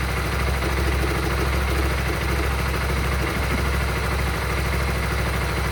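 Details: Honda Supra GTR 150 motorcycle at idle: low, lumpy, uneven beat around two or three per second; abnormal idle noise, cause unclear.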